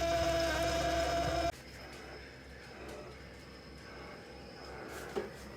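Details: Frigidaire Gallery refrigerator, loud enough to hear from another room, makes many very loud noises at random times even after two repair attempts: a harsh buzzing drone that cuts off abruptly, then a faint click; cause unknown.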